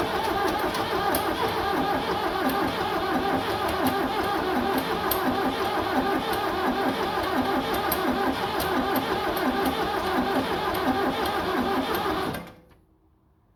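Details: 7610 diesel tractor cranks steadily about twelve seconds with no firing, then stops; fuel seen at lift pump, jump pack on charged battery; owner unsure of cause, considering ether.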